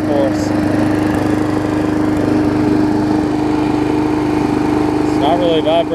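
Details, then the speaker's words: Briggs & Stratton Classic push mower engine swapped onto a Hyper Tough deck: steady even buzz at constant speed, no misses, surging or knocks, runs smoother than before; normal running. "a whole lot less more runs as smoother as she gets"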